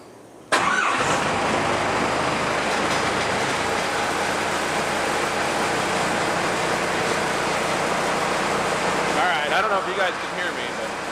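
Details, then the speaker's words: Cummins 4BT diesel in 1968 Ford Bronco, first start in a long time: fires almost at once, loud, then steady clattering idle that smooths out; loose rattles likely from loose parts on the vehicle; running well. "I'm super psyched on the way that it's running. It's actually running pretty good. It's loud, but once it gets past its initial startup, it actually idles pretty smoothly."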